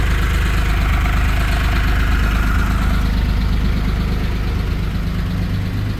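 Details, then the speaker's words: 1970 Porsche 911T restomod, exhaust extended into a 2-into-1 with a larger tip: deep, even idle burble with a steady beat, no misses or knocks; engine and exhaust sound healthy. "And then put that little bit larger tip in there, but got the angle just right on it so it doesn't look stupid. And it sounds good."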